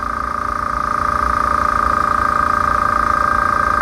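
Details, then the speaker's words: Small no-name air compressor filling its tank, not vibrating much and fairly quiet: steady hum with a fast even pulse and a constant fan tone, no rattles or knocks; normal running. "as you can see it's not vibrating a lot it's not making a lot of sound just trying to be quiet for a second so you can see how it's doing"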